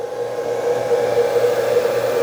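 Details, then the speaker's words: Laser module on an XPro V5 CNC machine, just powered up after switching from spindle mode: small fan spins up to a steady mid-pitched hum and holds an even whir with no rattle; laser fan working normally. "I hear the laser fan come on, so that's good."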